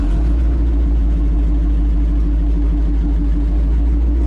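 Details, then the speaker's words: Old three-on-the-tree vehicle on first test drive: loud, coarse, steady low rumble with a blatty edge while driving; exhaust leaking from a couple of holes in the muffler, one big. "Test drives go slow at first. Sounds good. Yeah, you know. A couple of holes in the muffler. One big one."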